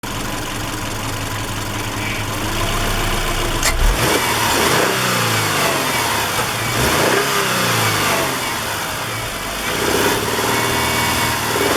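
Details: Petrol engine revving with rough uneven knocking/popping, loudest at operating temperature just above 2000 rpm under light load, vibration rising with it; unresolved despite new plugs, wires, coil pack, timing belt, idlers, tensioner, oil, fuel, clutch; owner hopes not rod knock.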